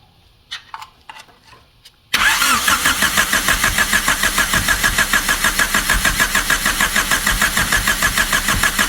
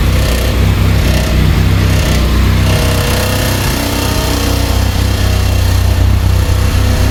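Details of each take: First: 1999 Honda Civic EK hatchback revived after sitting for years, distributor held by hand while adjusting timing; starter cranks evenly about 200 rpm for eight seconds, tries to catch but won't run; owner unsure of timing and firing order. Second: 1999 Honda Civic EK hatchback revived after sitting for years, running on a turbo-tune ECU; even, quiet idle with steady low beat, no ticks or knocks, runs smoothly.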